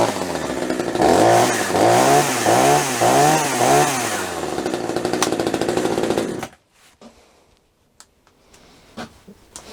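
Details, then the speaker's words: Budget top-handle chainsaw with Oregon bar and chain, just started via primer bulb and start latch, chain brake on, trigger untouched; runs high and surges about twice a second for six seconds on the latch, then cuts. "There's a mechanism in here which basically is applying throttle, and you'll see what I mean in a minute. So you'll hear it running on hard. The brake's on, so it can't actually run on, but you'll see what I mean."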